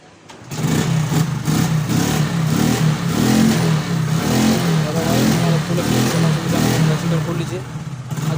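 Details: Glamour BS4 motorcycle (model before the i3s) brought in for a starting problem, kick-started after refuelling because there is no battery: it starts and picks up cleanly through throttle blips with even firing and no misfire. Healthy running.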